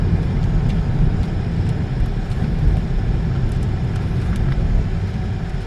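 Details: 2012 Peugeot 308 1.6 at 66,200 km, test drive after replacing the front shocks, shock mounts and a link rod: road rumble with no knocking or rubbing. The earlier knock and rubbing noise from the right side are gone.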